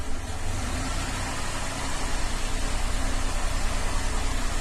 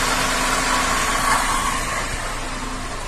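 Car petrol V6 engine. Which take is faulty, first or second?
first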